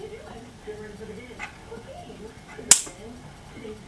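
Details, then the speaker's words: Old monaural CRT TV opened to add a headphone jack, grounded screwdriver slid under the anode cap: one sharp, loud snap in a quiet background as the picture tube's high voltage discharges. "Now if you heard that, that was your high voltage discharging."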